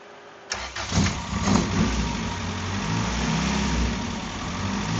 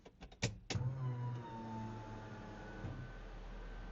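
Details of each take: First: Right-hand-drive 1990 Honda CRX SiR, reportedly built B20B block with GSR head, ITBs and 4-2-1 headers: it catches after a short crank and idles fairly evenly. Fuel pressure reads just over 20 psi, down from 60 earlier; owner suspects an overheating fuel pump. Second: Mic at the fuel pump of a RHD 1990 Honda CRX SiR with reportedly built B20B block, GSR head, ITBs: a couple of clicks at key-on, then a steady low electric hum for a few seconds as the pump primes normally.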